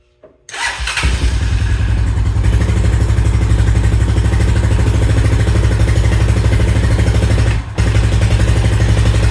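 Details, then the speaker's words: 2000 Honda Foreman 400 4x4 warming up after long disuse, choke likely on: uneven, choppy single-cylinder thumps with a brief sag, won't take throttle; owner suspects flooding or exhaust clogged by a wasp nest. "not sure if that's choke on or off I'm assuming that's choke on it's not W to get very does not want to take any throttle at all"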